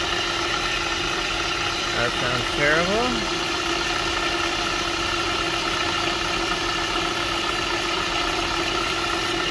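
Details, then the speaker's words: Honda Pilot at idle, checked with a stethoscope: a steady, ear-piercing high whine rides over the even idle. It is traced to a worn auto belt tensioner pulley. "Ear piercing. Not good. Not good. Not so bad. That's the auto tensioner right there, bud."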